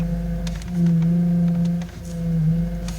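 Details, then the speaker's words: Honda standing still with the wheel turned: steady droning whine over idle that swells with steering, caused by low power steering fluid letting air into the hydraulic system; fix is topping up the reservoir with the correct fluid. "it likely means that the power steering fluid is low and air got into the hydraulic power steering system as a consequence"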